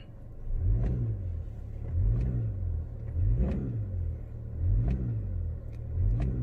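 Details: 2011 Chevy HHR 2.2L LE8 with P0010/P0011 intake cam actuator codes, in gear with foot on brake: repeated short revs rising and falling cleanly, no rattle or stumble; intake cam no longer bouncing, P0010 test passed, engine healthy.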